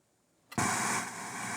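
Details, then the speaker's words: Faulty Atari 400 8-bit computer with BASIC cartridge, black screen and no response to reset: silence then a sudden flat hiss with no tone or music; static instead of audio output. "Okay, so static. Oh, more garbage. Reset. Okay. Faulty machine."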